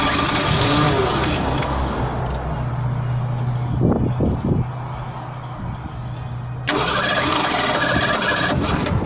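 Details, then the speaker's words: 1987 Ford Bronco II 2.9 that stalled and wouldn't start, after distributor, coil and pickup-coil checks: long uneven cranking with a few coughs before it finally catches and runs; spark plugs wet from flooding make it hard to start. "it's crying but because the sparklers are so wet they're hard to start"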